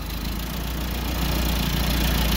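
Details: Engine starting after spark was restored to the ignition coil, confirmed with a test light and spark tester: it catches and settles into a steady, even low idle with no misses or stumbling; the ignition is now working.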